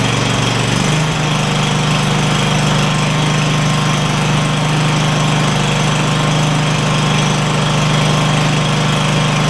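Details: Craftsman DYS4500 Kohler Courage V-twin after swapping the 12V ignition module for traditional coils, with a new spark plug on one side: it picks up, then holds a smooth, even drone with no sagging or misfire; both cylinders fire cleanly.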